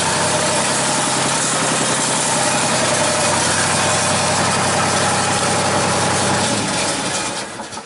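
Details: Genie S-40 boom lift diesel, brought in for a stalling problem with a suspected non-charging alternator, settles into a steady, even idle clatter with no stumbling or dying off; runs smoothly.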